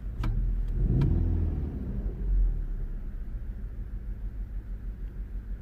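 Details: 2010 VW Golf GTI running poorly with flashing engine light and EPC light on: short rev blip then uneven, lumpy idle with stumbling beats; engine misfire, cause not yet found.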